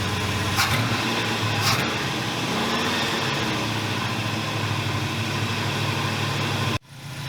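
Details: 1981 Buick LeSabre, Oldsmobile 307 V8, after battery reinstalled: loping, uneven idle that never settles, then cuts off; rough idle, owner suspects worn distributor shaft, timing or vacuum leak, unconfirmed.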